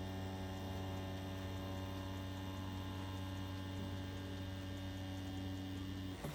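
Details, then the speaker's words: More Money tattoo machine with InkClaw Phoenix 1.5 grip and barred needle, at 8 volts: even low motor hum at constant speed, no stutter or rattle; super smooth, normal running. "Overall though, you can hear this feels super smooth. It doesn't even, you know, feel like it's on really."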